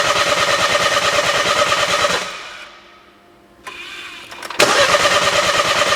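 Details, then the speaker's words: 2012 BMW 1 Series, crank no start, not fixed by a dealership or an independent shop: a steady cranking chug stops, then cranks again, never catching. Cause was incorrect cam timing from a slack timing chain. "so once we've confirmed this is a crank no start we can scan for fault codes and see if there are any fault code stored that could lead us into the right direction"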